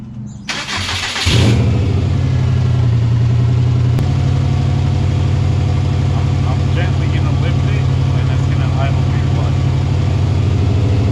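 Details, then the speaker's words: Turbo Subaru that started idling funny, misfiring and accelerating poorly; a hole was found in a boost controller hose touching the turbo. After starting it settles into an uneven, lumpy, stumbling misfiring idle. Sparks, injectors and coil packs are suspected; later traced to a failed idle air control valve. "this baby is misfiring so check all your sparks check your injectors"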